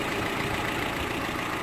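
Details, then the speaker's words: 2005 Renault Clio, 75,000 km, after replacing ignition coil (misfire, water on plugs) and belts/tensioners with water pump: petrol engine idles smoothly and quietly with no misfire or belt squeal; normal idle. "o motor ficou muito bom homem silencioso agora nada de falhas"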